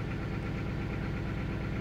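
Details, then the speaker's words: 2000 Toyota Celica GT 1.8L, cylinder 2 coil swapped to cylinder 1: uneven, lumpy idle with irregular stumble once in closed loop; misfire follows the dead coil to cylinder 1, cylinder 3 coil also failing. "wait for number one to kick in like I said that's another one that's pretty much a dead coil there you go once the vehicle goes into Clos Loop that's when we tend to get the c number one mfire or that that one B coil pack that's dead starts to give you a mire counts"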